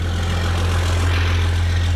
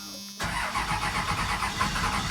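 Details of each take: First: 1996 Dodge Ram 3500 12-valve Cummins diesel just after a hard-starting fix, batteries a little low, white smoke at startup: it settles into a steady, even low rumble with no misses, knocks or hunting, a normal idle. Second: 1996 Dodge Ram 3500 12-valve Cummins diesel, first start after repair work with new grid heater relay and low batteries: brief hum then steady rhythmic cranking chug, not firing; owner suspects lost fuel prime.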